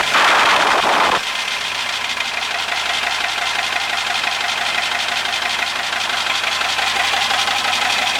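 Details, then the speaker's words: 1939 Bristol bus engine, rebuilt years ago, first start since reinstalled: short burst as it fires on the button, then a steady, even diesel idle with no knocks or misses. "so there we go it runs who'da thought it would have started that easily"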